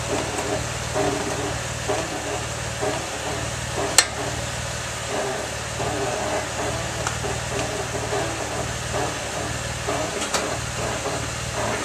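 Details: 2003 Mazda6s wagon idling in the garage: irregular dry creaks and a few sharp clicks as the steering wheel is turned. It also creaks while driving, braking or not, turning or not.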